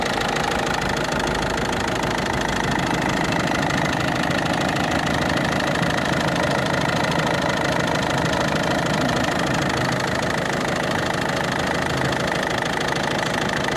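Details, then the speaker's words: Ford Focus 2 1.6 diesel, newly developed knock: steady idle with hard regular knock about three per second, heard from below, seemingly moving upward; cause unknown. Engine knock. "СТ снизу вот такой вот Сток Ну уже по-моему этот звучок уже наверх перешёл"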